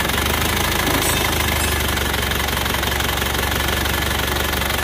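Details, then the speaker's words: Cold morning start of an Isuzu Panther diesel that burned 10 litres of oil from Jakarta to Blitar: rough, uneven idle clatter about three beats a second with steady drone and immediate smoke; confirmed oil consumption and compression leak (blow-by). "Jadi mas sudah positif, boros oli, bocor kompresi ya teman-teman ya."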